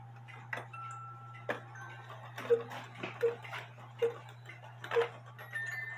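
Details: Cuckoo clock with a 450 gram weight where the movement calls for 320 grams; quick, evenly spaced two-tone calls over a steady low hum: the cuckoo calls too fast because the weight is too heavy.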